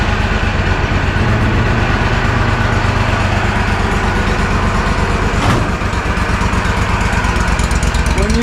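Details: Walker Superbee 52-inch rear-discharge mower, parked since April, fuel and ignition issues: steady chugging idle that sags and recovers without stalling; fluctuating rough idle.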